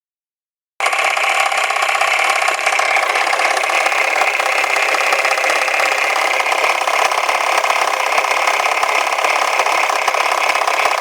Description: Volvo 480, B18E engine rattle noise at idle and when driving.